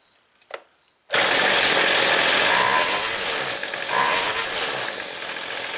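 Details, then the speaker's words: Weed Eater two-stroke trimmer, no air filter fitted yet: after opening the low-speed jet another eighth turn, it starts and settles to an even, buzzy idle with no stall and clean response off idle to high speed. "i think that's good right there it took care of the stall an eighth of a turn took care of the stall from from idle up off idle to high speed still idle's good"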